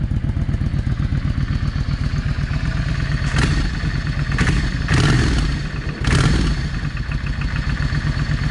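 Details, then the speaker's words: Yamaha V Star 650 V-twin after cleaning the clogged front-cylinder carburetor idle jet: steady, even low thump at idle with brief throttle blips; both cylinders firing and heating, settling to a smooth idle. "But yeah, the problem was the uh the idle jet. It was clogged. And I hopefully I got everything clean enough that I won't be having that problem anymore. Let me idle it down."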